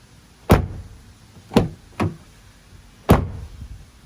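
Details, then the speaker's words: 2020 Toyota Tacoma doors shut one by one: four deep thuds each dying away cleanly with no buzz or rattle; solid door close, nothing loose inside the doors. "nothing there nice solid hit no rattling around"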